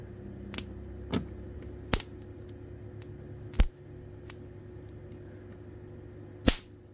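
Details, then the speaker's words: Transformer shorted while powering an Nvidia graphics processor: sharp, irregular cracks and pops a few seconds apart over a low, hard buzz, arcing from a short across the screws. "oh this one popped hard oh it popped"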